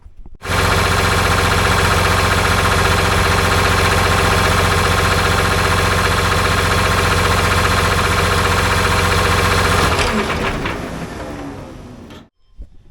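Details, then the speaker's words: John Deere 850J dozer diesel after a rebuild that reused four connecting rods: steady idle with a light, regular tick about three or four times a second, then shutdown; the tick is traced to worn wrist pin bushings. "it's got a little tick in it sounds like connecting rods or wrist pin bushings"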